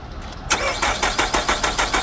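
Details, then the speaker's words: 2012–2013 Nissan Altima that stalled suddenly while driving: starter cranks in quick, even pulses about five a second but it won't fire. No codes; the crank sensor signal is fine but there's no spark, and the ignition coil isn't getting power; fuse check next. "और यहां पर कोई spark नहीं क sensor सही है लेकिन spark नहीं आ रहा है कोई स्पार्क नहीं"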